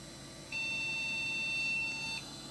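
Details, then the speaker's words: Custom Athlon retro PC at power-on: one long steady high beep, about 1.7 seconds, over quiet fan hiss; Phoenix BIOS single long POST beep code, persisting after reseating the video card; owner later suspects overheat failure. "Beep code. Single beep. One long beep. And I think, if I'm not mistaken, this is Phoenix BIOS."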